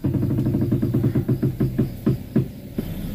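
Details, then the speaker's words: Front wheel of a car being turned left and right: dull tek-tek knocking, several per second, slowing as the wheel slows. "Nih itu bunyinya ya, Teman-teman. Bunyinya tek tek."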